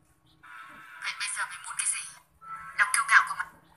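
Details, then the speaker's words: BMB speaker playing music thin and tinny with no bass: the four tweeters work but the large woofer is silent. The woofer was found dead from an open inductor on the amplifier board. "Đấy, như vậy bốn loa này nói được rồi, còn loa to không nói được rồi. Nói chung là loa này không phát được, chỉ có loa chủ không phát được thôi, loa to này."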